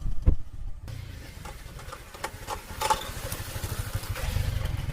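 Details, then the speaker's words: TVS Stryker motorcycle idling lumpily with loose light clatters from the front, like something breaking; cause is the front brake caliper rattling because its rubber bush is missing. "TVS striker এই বাইকটির problem হলো সামনে একটি back sound আসতেছে, যেমন কিছু ভেঙে চলে যাচ্ছে।"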